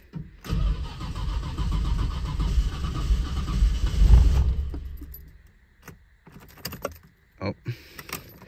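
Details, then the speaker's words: Nissan Skyline GT-R R34 V-Spec II with a slight rod knock, battery in the trunk: starter turns over sluggishly, about four labored beats a second for four seconds, never catching; weak battery, slow crank. "not enough juice no no enough juice one more time second try"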